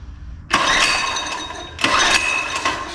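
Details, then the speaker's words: Free mini bike engine said to be smoked, pull-cord cranked: two sharp cranks, spins over with compression blowing a finger off the plug hole but never fires; no-start from no spark, possibly an on/off switch. "Sounds like she's got compression. She's blowing the finger off. All right, let's see if she got any spark."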